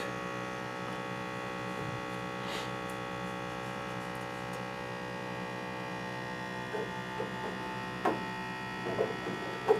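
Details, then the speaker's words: M2X Series DTG printer being filled with P30i ink: ink pressure pump hums steadily without cutting out, unable to pressurize bottles because one ink bottle is left open, an air leak. "the pressure pump runs for a certain period of time and if it runs too long without being able to get these bottles up to pressure it's facing basically letting us know that we have some kind of an air leak"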